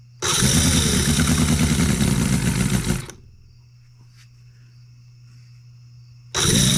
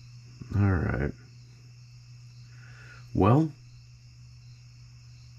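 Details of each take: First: Newly built Cison L4-175 flathead four-cylinder model engine on an oak base, first run, not yet broken in, no oil leaks: putters steadily, shuts off, restarts right away and settles into an even idle; normal running. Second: Newly built Cison L4-175 flathead four-cylinder on an oak base, first start attempt with main jet closed: two half-second cranking bursts, starter spins but engine never fires.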